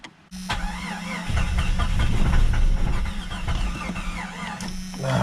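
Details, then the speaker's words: Jeep Cherokee crank no-start: starter whirs with uneven chugging but engine never catches; it fired only on ether, no fuel pressure at the rail Schrader valve though the pump is heard running, owner suspects a clogged line; fuel starvation. "we checked for fuel pressure at the rail on the Schrader valve whatever you want to call it there's no fuel pressure up there"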